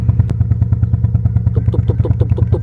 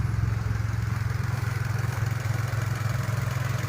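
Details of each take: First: Nissan Almera/March with the engine light on: low, uneven stumbling idle thump at about ten beats a second and engine shake; a leaking or failing ignition coil is suspected. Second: Nissan Almera/March petrol engine after replacing a failed spark plug coil that had caused stumbling, shaking and a check engine light: smooth, steady, even idle with no stumble or misfire.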